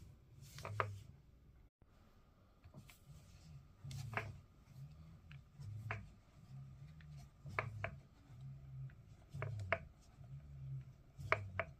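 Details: Fanatec DD+ racing wheel base makes odd, uneven clicks and clunks from within the shaft over a faint steady motor hum; the unit was returned under RMA and replaced with a new one without the problem.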